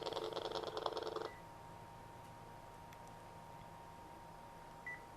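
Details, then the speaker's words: Panasonic KX-TGA660 cordless handset, about 2 years old, on speakerphone: harsh rapid buzzing static that cuts out to faint hiss. The cause is weak batteries from memory effect despite showing full charge, and the fix is new batteries. "Two of the handsets have developed a problem with the speakerphone function. Static, noise, whatever you should call it as."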